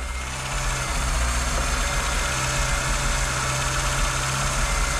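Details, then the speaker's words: VW Golf 2 carbureted engine after resealing all carburettor gaskets: a steady, even idle with a low, constant rumble and no hiss or hunting through repeated revving; no air leak, normal idle. "Là j'ai fini de jointer tout ça et je remonte, je me dis c'est bon, il n'y a plus de prise d'air, je démarre, montée, descente, montée, descente, montée, descente. Le bruit, c'est la ligne. Pas de fuite."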